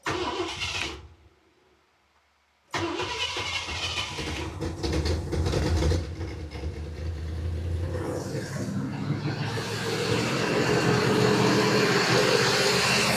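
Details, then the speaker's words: 1967 Mercury Monterey restarted with a newly fitted carburetor and a little throttle, idle not yet set down: catches after a dropout and settles to a fast, uneven, lumpy idle; running rough, cause unknown; a faint tick heard later, not thought to be the motor. "She ain't happy about something. don't know what it is."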